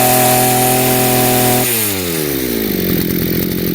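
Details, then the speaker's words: Chinese two-stroke brushcutter, carburetor mixture screw turned richer: the high steady engine note sags into a lower burbling run; the engine won't pull, with no traction, showing a rich mixture and lack of power. "There is no traction. You can feel the difference right away."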